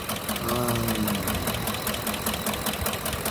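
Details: 2013 Lincoln Navigator 5.4 V8, 4x4, automatic, engine runs but knocks: idling with uneven, fairly quick knock of about two to three per second over the engine; deep internal knock.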